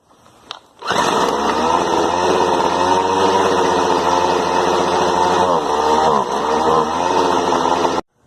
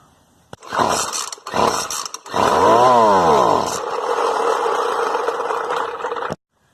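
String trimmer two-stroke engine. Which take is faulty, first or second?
second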